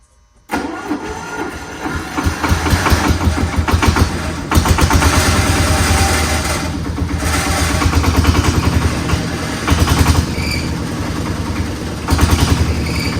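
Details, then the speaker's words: Old Dynapac diesel drum roller packer, sat unrun for years, started after some tinkering: cranks, catches and settles into a loud, steady diesel chug around three or four beats a second; normal start and idle. "So, after a bit more tinkering on this uh Flintstone mobile, we were able to get it started and and uh to the point where we could move it."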